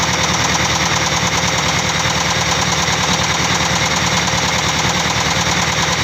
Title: Engine Knocking : Penyebabnya ??